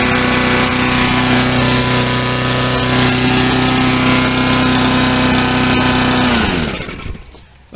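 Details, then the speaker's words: Mountfield HP45 hand-propelled lawnmower after fuel leak repair and fuel line replacement, primed and started: pulls into a steady, even drone with no misses or knocks, then winds down cleanly at shutoff; normal start and run. "that started no problem at all obviously the fuel had to get through properly"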